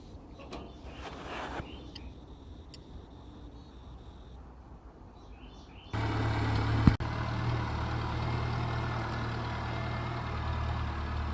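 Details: Planting tractor after about 2.5 hours of repairs, gas turned back on: quiet yard, then the engine catches at six seconds and settles into a steady, even low drone; normal running.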